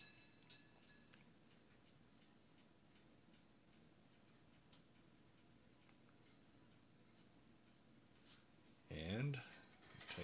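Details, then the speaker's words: Older American-made replacement toaster, finishing a cycle: faint ticking, then a rattling clatter as it shuts off and automatically raises the toast; working normally. "Let's see now, once it shuts off, the toast automatically rises back"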